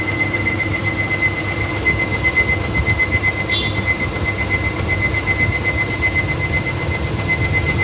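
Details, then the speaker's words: 2013 Nissan Micra Active, 49,700 km, engine heated up: steady high whine over the engine rumble with faint fast rattle, comes in when the radiator fan runs at higher rpm then stops; owner suspects worn fan motor bearing needing replacement. "automatically the sound goes off so this is i guess when the uh the fan is running at a higher rpm is when the sound kicks in so i guess the bearing has to be changed"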